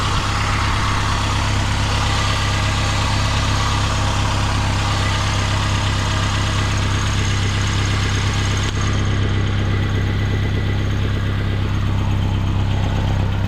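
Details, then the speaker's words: 2016 Mitsubishi Outlander idling: deep steady rumble with rapid chuffing pulse about four puffs a second; exhaust leak at the resonator, after the sensor, judged no problem. "There is a leak, but it's after the sensor. It's with the resonator, so there's no problem."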